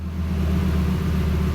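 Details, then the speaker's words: Self-tuned Lamborghini, cold and still in limp mode after start-up: a low, steady rumbling idle that dips to about 500 rpm and creeps back up, with an even pulse and no knocks; normal cold idle, new tune may have fixed stalling. "so goes down to around 500 rpm and then then just kind of creeps back up and that's sort of normal especially for for just starting up this is this is pretty good"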